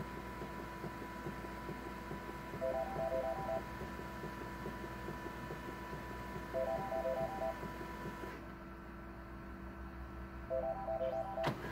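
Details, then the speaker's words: Canon MF733Cdw printer waiting to print: steady hum with short bursts of clicking repeating about every four seconds; it then prints with missing lines. "You can kind of hear a clicking noise coming out of it. So if I print a page, it's waiting."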